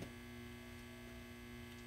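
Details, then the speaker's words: Old Trace Xantrex grid-tie solar system with wind turbine, 10+ years old: after the five-minute grid wait, relays click and the inverter starts selling power with a steady hum and a few clear tones, normal export. "the grid got past that five minute waiting period and watch the old cool analog meter spin"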